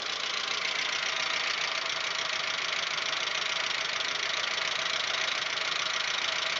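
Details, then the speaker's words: Audi 1.8, 90 hp, warm idle around the sixth minute: loud, fast, uneven metallic top-end clatter, absent at cold start. This is after cylinder-head repair. Owner suspects hydraulic lifters or the oil and plans to clean the lifters and return to semi-synthetic; unconfirmed. "вот тут уже на шестой минуте усилил как-то я не знаю в каких мер очень очень громкий стук ну это на холостых оборотах"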